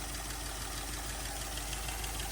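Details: Toyota LN65 Hilux 253 V8 just started after a decade sitting, quiet steady idle with light ticking clatter from the top end; valve train noise blamed on long storage, almost gone after 20 minutes idling.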